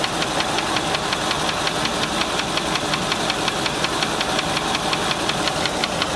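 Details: Land Rover 4.6 V8 at idle with a sharp, steady, evenly spaced metallic knock about three per second; possibly bad rod bearing, collapsed piston skirt or bad lifter, unconfirmed.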